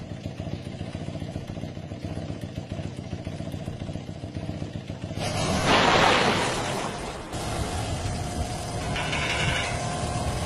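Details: Motorcycle engine running with an even ticking around 220 per minute over the exhaust and a brief louder surge; abnormal internal engine noise, cause unknown.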